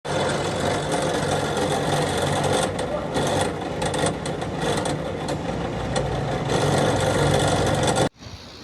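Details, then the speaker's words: Small chiller's freezer cooling fan runs with a loose, rattly buzz; blade not touching anything, the motor shaft's bushings are worn; fix is removing the motor and oiling it, or replacing it. "तो यह इसकी motor है जी यह देखें फफ्ट में मसला आ गया यह इसका जो है ना बुश जो है व खुश हो गए और इस वजह से यह मसला कर रहा है"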